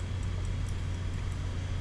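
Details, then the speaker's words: Xbox One model 1540 with no video output, powered on with the hard drive plugged in: faint sharp ticks about four or five a second over a low hum at power-up, the failing hard drive clicking. "that hard drive scared me man"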